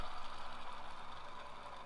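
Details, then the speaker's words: Subaru timing belt kit check: hand-spun upper idler pulley whirs with a faint gritty grind as it slows, a slightly worn bearing, being replaced to be safe. "you can hear a little bit of grinding in them they definitely sound a little bit worn but not too bad either"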